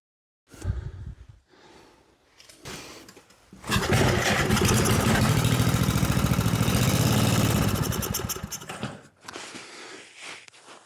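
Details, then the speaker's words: 1970s Briggs and Stratton flea-market engine, fuel squirted down the carburetor: a few cranking bursts, then it catches and runs unevenly about five seconds before dying; runs only on primer, dirty carburetor and plugged fuel pickup tube suspected. "Okay, I'm gonna get a little bit of fuel and squirt it down the carburetor. Well, there's signs of life."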